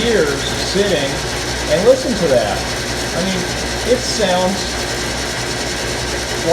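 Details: Antique early Wayne 40 gas pump, switched on with its on-off lever: continuous mechanical whirr with light gear and ratchet chatter, even and steady, no grinding; super smooth. Normal pump motor running.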